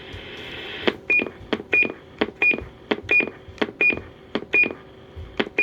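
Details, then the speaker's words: President Jackson CB radio: each key release gives a click then a short crisp high chirp about once a second; the roger beep works normally. "Anybody that's a fan of a different model of President will recognize that sound right off the top of their head."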